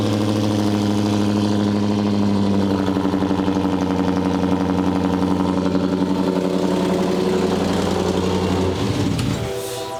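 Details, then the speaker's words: Wrecked 2011 Ford Raptor SVT V8 rebuild, first cold start after cab and wiring harness installed: deep, steady rumble, unusually loud and diesel-like, settling as revs drop; no leaks seen. "That is crazy. That's so loud."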